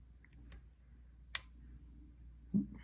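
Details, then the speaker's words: Picking a Bullkeys clear practice padlock with a pick and tension tool: quiet room with sharp, isolated light clicks about a second apart as each binding pin is pushed up and sets; pin setting clicks. "then all you need to do is continue working through them finding the binding pin and click pressing it up until you hear that click"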